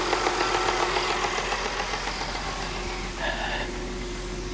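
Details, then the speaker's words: 2010 Audi Q5 direct-injection engine had a check engine light and low oil pressure warning; idle steady, even and smooth with no top-end tapping; nothing worrying, normal idle. "sounds fine to me I don't hear anything that I'd be worried about"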